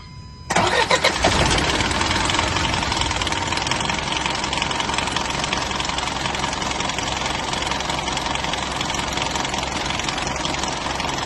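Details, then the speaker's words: GJ1 petrol engine on first (cold) start idles roughly and misfires with a loud metallic clatter from the top end; a loose timing chain needs replacing, with a risk that it jumps timing. "So ganyan siya sa first start tapos makakalansing ang ibabaw. Kasi ang rason niyan pag ganyang klaseng style maluwag na yan ng kanyang timing chain."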